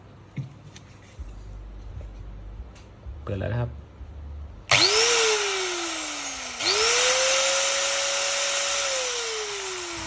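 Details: Angle grinder found at a flea market dead with a faulty switch and worn-out carbon brushes, run after fitting a new switch and brushes. Motor whine winds up quickly, then sags and coasts down, twice; smooth and even with no rattle, so it runs normally.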